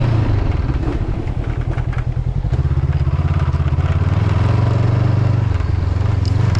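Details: Motorcycle riding on a road in Norway: over the low engine drone a loose uneven rattle about three times a second from the windshield, because a windshield mounting screw was lost.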